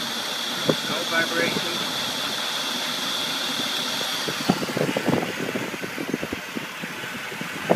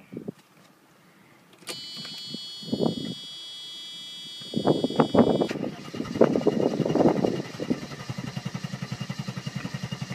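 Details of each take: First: 1990 Mercedes 300SE, 3.0 straight-six, warmed up: steady, even idle with a soft high hum, light ticking and slight power steering buzz from low fluid; no shake or stumble; normal warm idle, hard cold start suspected from cold idle solenoid. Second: 1990 Mercedes 300SE, 3.0 straight-six parts car, started cold after sitting a day without starting fluid. Uneven cranking, then it stumbles into running; hard cold start, also low on power, possibly fuel adjustment or plugs/cables.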